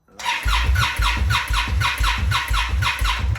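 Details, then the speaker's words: Fuel-injected Indian Scout Bobber cranks in steady starter bursts without firing in cold below about 35°F; it has taken several cranks to start, then idled at high rpm. This is a cold-start problem. "basically when it gets cold and when i consider cold i would say sub like 35 degrees fahrenheit and then below the indian scout bobber has a problem with starting"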